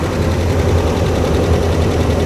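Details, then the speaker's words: 2009 Dodge Ram 1500 Laramie, 5.7 HEMI 4x4, 325,000 miles, at first start; deep steady V8 idle with fast light tapping on top, heard on both sides of the engine, owner suspects HEMI tick, cause unconfirmed. "You can certainly hear that tick. No, it's fine. Right? I don't know. Somebody's gonna have to drop a comment below. I mean, I'm hearing the noise out of both sides of the engine."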